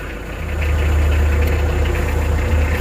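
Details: Mitsubishi L300 campervan diesel at startup after installing a DIY leisure battery charging setup: steady, even idle with a low rumble and no belt squeal; healthy engine.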